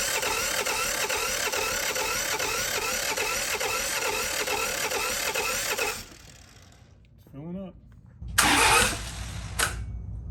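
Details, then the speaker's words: John Deere 650 4x4 tractor diesel, first start after budget rebuild of blown engine, bleeding air from the fuel system: steady pulsing chug for six seconds, then it dies; stalling from air in fuel. "it just stopped all right I see any it's just taking a little while to get it up here okay keep going"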